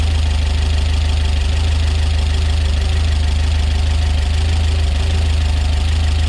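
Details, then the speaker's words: Peugeot 205 GTi Mi16 freshly built engine, first fire-up: loud rapid even tapping about three ticks a second over steady idle; noisy tappets that owner hopes will clear up after a while. "Sappy, but apparently it'll clear up after a while. That's what I hope. Wow, really tappy that. That noise at all. Okay, that's really loud, isn't it?"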